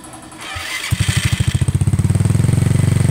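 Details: Yamaha Mio scooter that ran but would not move because of a local (non-genuine) drive belt, after the belt was fixed and the parts cleaned: engine fires with quick even beats, speeds up and settles to a steady idle; runs normally.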